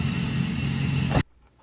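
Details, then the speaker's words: 2005 Saturn Ion 2.2L Ecotec with a one-to-two-year-old Bosch starter, removed and perched on the hood, bench-cranked with jumper cables: steady high electric whine, spins freely about a second then stops; starter is good, yet the car only clicks. "it's a good starter perched on hood or I can see it as I crank it this starter looks good why is it not turning over the engine"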